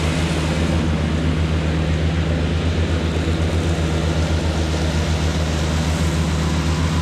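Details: Cushman front-deck diesel mower, bought as scrap with a supposedly bad hydraulic pump, tires freshly aired up, mowing grass: steady, even diesel thrum with smooth low pulse, no knocks or misses under mowing load; normal running under load.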